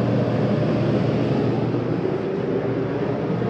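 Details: 2020 Jayco Jay Flight 284BHS travel trailer, rooftop air conditioner switched on from the thermostat: smooth, even hum from compressor and fan with no rattles, squeals or cycling; running normally.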